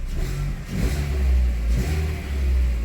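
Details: VW, after fixing fault code 17950 and connections, no codes present: deep steady engine note rising smoothly with each throttle blip, no knocks or misfires; engine runs clean.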